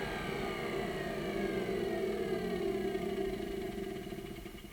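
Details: 1988 Hoover Compact Electronic S3462 1,000 W cylinder vacuum at full power, suction around 66 on hose-end gauge: steady high motor tone with airy rush, then slow gradual wind-down; motor sounds healthy.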